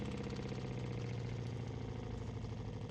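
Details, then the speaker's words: New VEVOR FL-40 12V diaphragm water pump installed in a camper van, first test after filling the cleaned tank: steady, even low hum with fast regular pulsing, no knocks or surges. Noticeably quieter than the previous three pumps. Normal running. "Chose qui est bonne, elle a moins de bruit que les autres pompes déjà."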